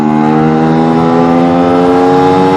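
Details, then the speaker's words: Newly built Nikasil-cylinder two-stroke being run in, MB X13 needle, pulling in third gear at about 106° engine temperature. Steady, high buzz holding even and rising, with crisp, quick mid-range response; normal acceleration. "the mid-range is crisp or if not maybe even crisper than it was last year response is really quick"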